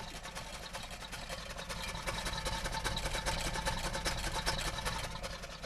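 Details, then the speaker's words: 1978 Oldsmobile Cutlass Calais, 4-speed, after 17 years in a barn, running on gas fed from a can as pump may be unprimed: soft even idle, steady low pulse about two and a half beats a second, no knocks or misses; quiet normal idle. "man I don't know but it runs it's quiet you know it's idling"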